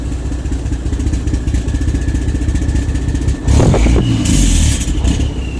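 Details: Diesel truck with new injectors and unit pumps, EGR and DPF deleted, no codes; rough uneven chug with irregular stumbles then a rev with clatter; runs rich and misses at part throttle but fine at wide-open throttle.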